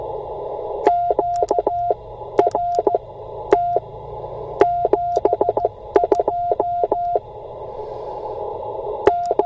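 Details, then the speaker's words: Bamatech CW paddle key, over-tightened to reduce clacking: clean sidetone near 700 Hz sending dits and dahs with stray short dits slipping in, as the paddle rebounds onto the dit contact when hit hard. "what was happening there is it I I tighten them up so it wouldn't be clacky and in tightening up when I hit it too hard then this one kind of rebounds and and comes in and makes that contact"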